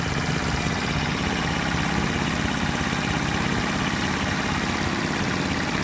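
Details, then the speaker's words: Rebuilt Honda 50/70/90cc single in a scooter, warm after about 15 minutes of riding: steady idle with a faint light tick, described as normal for these sewing machine engines; healthy. "That's why they call these little sewing machines, is because they just have the tiniest little tick to them. I don't know, to me it's actually quite therapeutic. I can hear the parts working, but it's not invasive or anything."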